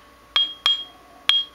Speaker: in a couple spots and you can hear it's got kind of a ringing sound to it so that's a good one